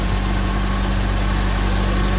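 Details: Suzuki New Carry, still cold, after overheating repair and timing chain installation: smooth, even low idle with a steady deep hum and no knocks, ticks or misses; radiator coolant no longer bubbling.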